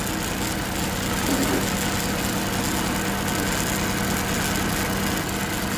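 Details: Suzuki Multicab fuel-injected petrol engine idling roughly, with an uneven stumble about three beats a second: misfire, diagnosed without an OBD scanner.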